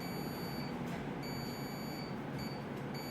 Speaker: I've got my own meter crossed that switch and like we had discussed it should be closed and if I just put a little bit of pressure on the plastic plate it closes